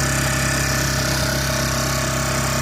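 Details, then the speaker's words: Honda EU1000i generator after Seafoam treatment, still slightly warm, no choke: constant even hum at steady pitch with no hunting or misses; idling smoothly, much better than before, tiniest bit of smoke remaining. "A little bit warm still. Certainly not going to need a choke. Sounds so much better than it did."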